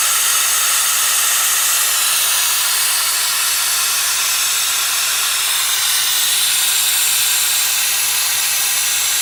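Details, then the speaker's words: Subaru Legacy GT, EJ25 turbo engine with aftermarket intercooler, boost leak test, engine off: loud constant rushing hiss; intake leaking badly, found at the crankcase ventilation, blow-off valve included in test. "it sounds like it's leaking somewhere around here really bad"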